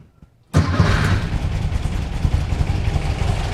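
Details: VW Beetle (1964/1967) flat-four with newly installed dual EMPI carbs, refire after syncing: engine catches almost instantly after a brief crank and settles into a steady, even low idle; clean, healthy warm start, not too bad.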